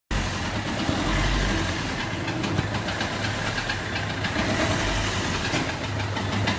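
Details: Peugeot 1.3 HDi diesel at idle: uneven, dull chuffing puff each cycle over a steady clatter, resembling a leaking injector. Actually compression loss from a bent valve that does not fully close.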